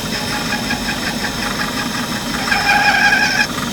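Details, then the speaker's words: Turning a hard D7 part held in the chuck while making a tie-rod thrust plate for an Index 645 vertical mill: the steady cutting noise breaks into a shrill, ringing squeal, which is tool chatter from excessive spindle speed. The speed is being slowed. "changing speed here slow it down so that i don't get that chatter"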